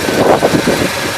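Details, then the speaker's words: 1966 Ford F100 short bed shop truck, just bought, oil leak traced to loose aftermarket oil pressure gauge fitting: steady V8 burble at idle with brief swell, no ticking or knocking; runs well. "So I got all that oil soak up stuff to pull all that oil stain out, but she runs pretty well."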